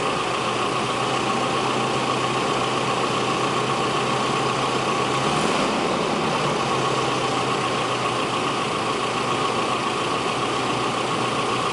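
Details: 1989–1997 Nissan KA24E after checking timing chain slack and reassembly to fix a startup rattle: steady, even idle with a smooth hum and no chain rattle or slap; engine sounds healthy.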